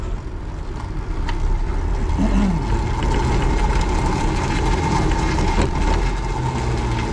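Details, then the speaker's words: Airsal CPI 70 and Boost crankcase moped, all stock, after a clutch modification: steady fast idle with a smooth water-pump whir and no gurgling or rattling; no cavitation, and the crankcase seal seems fine. "Ça marche très correctement quand même. Hein. Bon, l'autre CPI marche quand même plus fort, hein, c'est certain. bon. On dirait qu'il n'y a pas de bruit de cavitation."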